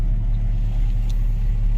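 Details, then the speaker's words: Jeep Grand Cherokee ZJ, jump-started after a dead battery, warm with thermostat just opened, radio off: deep, steady bass-like rumble at idle with nothing sharp on top. Abnormal idle rumble, source unknown. "Still doing that rumbling. It sounds like bass. It's like I got the bass up super high, but the radio is not even on."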